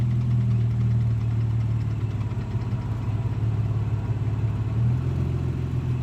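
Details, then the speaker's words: 15-year-old Infiniti G35 running: light, uneven clicking of about three or four a second over a steady idle; the owner says it is not engine-related, and the source is not yet pinned down. "I don't know who's gonna do it just yet can y'all hear that clicking"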